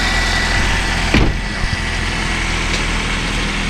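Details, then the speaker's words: 1998 Nissan Sentra GXE 1.6 L after cleaning corroded, loose battery cable bolts that caused intermittent no-crank: quick catch with short cranking burst, then steady even idle, seventh consecutive start; normal start and idle. "The car has been starting flawlessly without any issues. It has a healthy starter."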